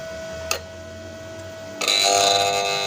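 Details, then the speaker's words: Chinese bush-type motor from a Dawlance washing machine, run unloaded on a series board with the capacitor checked OK: rattly high buzz and light ticking rising with speed. The looseness is attributed to worn bushes or fittings, and the winding is not faulty. "देखें दोस्तों, ये losing, जब हमारी motor loose होगी तो इस तरह की आवाज़ निकालेगी। इसका मकसद है हमारी मोटर बुश, बैरिंग साइज़, कोई ना कोई चीज़ लूज़ है, फिटिंग लूज़ हो तब भी हमारी मोटर इस तरीके से करती है।"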